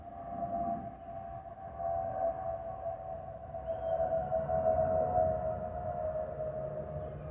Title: 💛🖤💛Spirit Airlines Airbus A320-232SL #N628NK NK286 CUN-DTW (FOPP Whistling Sound)💛🖤💛